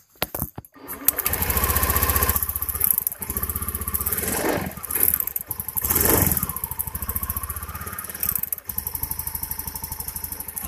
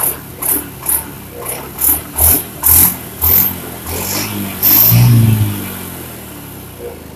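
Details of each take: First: Honda Beat injection scooter misfiring badly (brebet): rough, stumbling idle with skipped beats and uneven surges; spark visibly arcs from the plug cap plastic to the engine, cap's metal clip missing so it doesn't lock, spark plug also damaged. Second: Honda Beat injection scooter after replacing the spark plug and leaking plug cap: crisp, quick throttle blips about every half second, then steady, even idle with no stumbling; runs clean and responsive, previous misfire and stalling gone.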